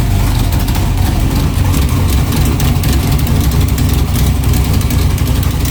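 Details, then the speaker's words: Freshly built low-compression 383 pump-gas street engine, just fired up before dyno, heard outside: loud, lumpy but steady V8 idle with even deep beat, no knocks or ticks; healthy. "We just got the engine fired up. Thought I'd let you hear it outside. Man, she sounds awesome."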